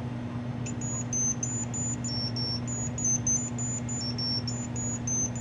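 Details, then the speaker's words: Commodore 64 with black screen, cartridge booting: logic probe tone over mains hum flips between pitches as a chip pin toggles; slow low beeping differs from expected but isn't obviously wrong, chip to be swapped. "that's the same slow beeping slow and low frequency so it's different but not necessarily you know I jumps out as you know obviously wrong"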